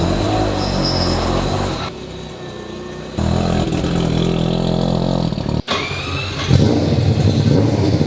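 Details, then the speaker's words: Four-rotor AWD rotary build on first test and tuning after initial startup: revs sag and surge unevenly, dropping and catching; all four rotors fire in order, but it stumbles and hesitates, and it dies when timing is locked. "Frustrating. All 4 rotors are firing in the correct order, but I can hear it stumbling. I can hear it hesitating a little bit."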